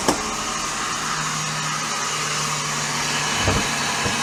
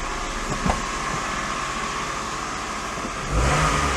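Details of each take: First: Daihatsu Sirion that has made horrible noises since bought: harsh whirring roar with a steady tone over the engine and a few sharp clacks; traced to worn alternator bearing and noisy water pump. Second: Daihatsu Sirion running with the drive belt removed: plain engine running with a brief rev near the end, the accessory whine gone, so the noise was belt-driven, likely the water pump; normal running without belt.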